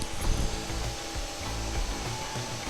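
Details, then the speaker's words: Dell XPS 15 9510 (2021) laptop running a game at low settings, mic held close: steady airy rush with low rumbling surges as the cooling fan runs flat out under heavy load; loud fan, gets hot. "So there you go, that's the fan noise. And for the normal task as well as for some kind of video editing, it will get the job done with the sacrifice of the fan noise itself."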